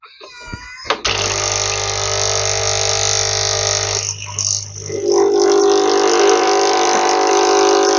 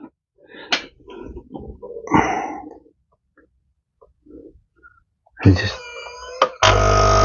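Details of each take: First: Nescafe Dolce Gusto coffee maker after fixing a stuck pump that gave no water: even low buzzing pump hum with hissing as boiling water flows through, steady and smooth; pump working normally. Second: Nescafe Dolce Gusto coffee maker with a flashing red light: a steady low buzzing hum as the pump runs, but no sound of water flowing. The pump runs but delivers no water.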